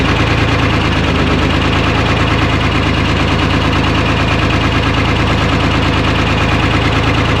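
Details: 1975 International Loadstar 1850, Detroit 6V53 two-stroke diesel, first start after fuel-line work, idle set high, no coolant in it: loud clatter with uneven beat about three pulses a second, cylinder dropping out, heavy miss; owner suspects air in fuel or real issue; oil pressure about 65 psi.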